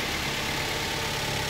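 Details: Grand Max engine freshly rebuilt, during break-in: a smooth, constant idle at steady speed, no tapping or misses; healthy. Power steering pump pressure switch appears not to raise rpm when steering is turned.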